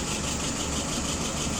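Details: Restored WO 636SA carburetor tested on a 48 engine, float set at 3/8 inch, fuel pressure 2.75, vacuum 23, no leaks: steady even idle with smooth low rumble, no misses, surges or hiss.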